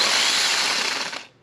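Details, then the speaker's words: Starter from 2006 Dodge Magnum AWD 5.7L Hemi, bench-tested off the car on a donor battery: whirs up to a harsh, gritty high-pitched spin for about a second, then rattles down; starter motor bad bearing, replaced with new. "Positive, negative onto our donor battery, and we will go and we will tap it to the start solenoid, and listen to this guy. There's definitely a bad bearing in there, guys."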